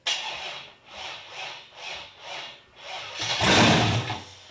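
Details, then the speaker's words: Cammed 6.0 LS V8 swapped into a 1978 El Camino, first fire-up, timing uncertain, given throttle: slow cranking then brief catch that fades out; fires but won't keep running, suspected too little air due to cam. "i mean she's firing go for it [Music] and she wants to run [Applause] probably just not getting enough air because of the cam"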